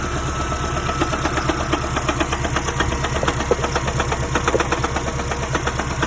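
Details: 2010 third-generation Prius, code P261B: steady idle with a regular knock about twice a second; the engine overheated after the electric water pump failed and the check engine light was repeatedly cleared and ignored.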